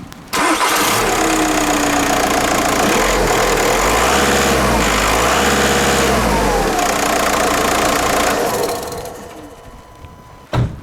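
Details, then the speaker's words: 2007 VW Eos 2.0 TDI diesel, first start after replacing bad glow plugs: cranks briefly, catches cleanly and settles into even, steady idle with no misfire or stumble; healthy, normal diesel start. "So you might want to start the engine, just check everything fires as"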